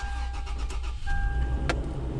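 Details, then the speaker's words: Toyota engine after roadside repair, cranking and catching quickly to an even idle; belt checked, no squeal (previously squealing); normal healthy start. "Sounds good. It's not squeaking, it was squealing, so I'll double check that."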